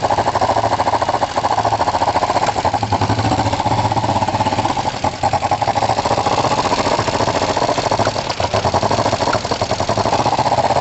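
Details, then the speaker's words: Kawasaki ER5 twin after a compression test and carb float height adjustment: uneven running with irregular sharp pops and intake spit-back breaking through the exhaust beat; the closest it has been to running well, and the carbs remain suspect. "yeah I mean you can hear some oh some back spitting and some popping and so it's not overly comfortable but that is the closest I've had it to running well which is interesting"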